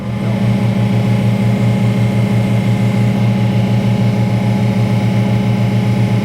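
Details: Detroit Diesel-powered car crusher found holed by a bump, which explained why it held so little oil. A steady, even diesel drone with a constant low hum and no knocks or surging; running normally.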